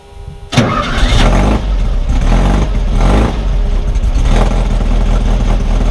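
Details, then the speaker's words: 1600 cc Baja Bug air-cooled engine on its first test drive after two years of work: quick crank, fires straight up and settles into a steady, even idle with no knocks or misses; runs well though underpowered. "it idled well whenever I would stop to make some changes as soon as I cranked it over fires right up so it's running pretty good"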